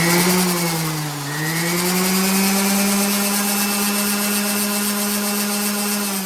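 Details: Orbital palm sander that would not turn on, running after brush replacement (4 years old, used twice); spins up to a steady high hum, dips briefly, then holds an even pitch, smooth with no grinding or rattle.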